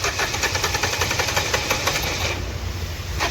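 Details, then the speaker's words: Nissan Terrano diesel, code P0203, just started; clatters with an uneven, stumbling beat, dropped pulses and knocking, heavy misfire; one injector suspected not working. "Engine इसका ये start है अभी ये काफी ज्यादा engine Mising कर रहा है ये देख सकते हो कैसा मिशिंग कर रहा है य कोई इस इंजेक्टर जो है ना काम नहीं कर रहा है"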